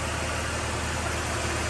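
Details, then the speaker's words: Ford BF XR6 with swapped Barra engine after fully reconnecting half-plugged ECU connector; slightly rough at catch, then smooth, even, quiet idle with steady low hum, no knocks or misses; normal idle. "oh we have ignition it's alive plug I looked a bit rough but it's smoothed out already fixing how quiet that is awesome"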